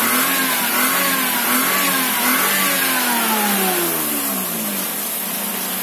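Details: Daihatsu Ayla being revved after recovering from water in the engine: clean rev up and down with a smooth rising and falling note, no knocks or misses. The engine sounds healthy, and all is declared normal.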